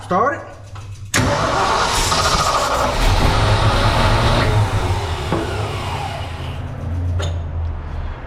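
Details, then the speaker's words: 1970 fire truck, previously got running by others: starter churns unevenly for several seconds and the engine never catches; crank-no-start, fuel not reaching the engine, fuel pump suspected. "I don't even know if we're even getting any fuel hold on let me get over in a closer here"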